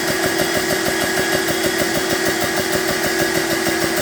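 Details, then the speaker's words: BSA PCP air compressor on first-ever run, gauge set to 200 bar auto cut-off, fans on: steady mid hum with fast, even pumping beat and no knocks or misses; running normally and building pressure. "Not too bad, reasonably quiet. And then you set the start button going. That's it."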